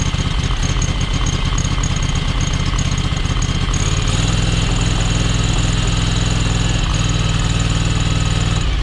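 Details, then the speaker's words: John Deere X585 riding mower: uneven lumpy idle with irregular pops, running on one cylinder even though both spark plugs seem fine; owner suspects valves, not confirmed. "You know, the fact that you can pull the plugs and it runs on, clearly runs on one cylinder."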